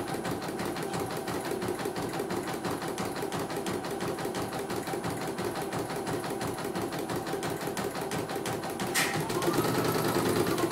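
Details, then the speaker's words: CNY embroidery machine sent in from Mojokerto, the second unit (no faults found, reset): fast, even stitching clatter with no knocks or hesitations. It runs very smoothly and the stitching comes out neat. "Oke, mesin sangat lancar ya ini."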